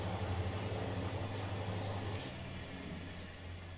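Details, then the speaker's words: Miele washing machine after repair with a homemade replacement drum spider (shaft): steady motor hum easing off smoothly without knocking or grinding, heading toward 1600 spin; some noise is from the drain pump motor running without water; normal spin. "یہ آواز ڈرین پمپ کی موٹر سے آتی ہے۔ چونکہ میں پانی نہیں آنے دیتا، اس لیے انجن کچھ شور مچا سکتا ہے۔"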